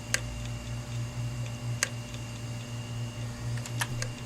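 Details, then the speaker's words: Hard drive powered up on an imager right after about 18 hours in a freezer: sharp irregular clicks over a low, steady spin-up motor hum; failing heads clicking. "Okay, you hear the head clicking. That's that ticking sound."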